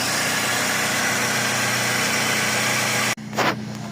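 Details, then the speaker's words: Toyota Previa that previously would not idle and died right after starting, now after repair: a steady, even idle hum with no misses or surging, keeps running, then a sudden cut. "hindi na siya namamatay nag-oral na siya Okay na yan Sige na Okay na pero hayaan mo lang umandar"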